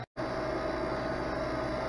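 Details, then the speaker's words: Harvest Right freeze dryer vacuum pump after fixing a leaking rear connection that caused low-vacuum warnings: even, steady hum with a faint constant tone, no surging or rattle, now pulling 312 millitorr; working normally. "we're pulling 312 militors everything is back to normal and working well"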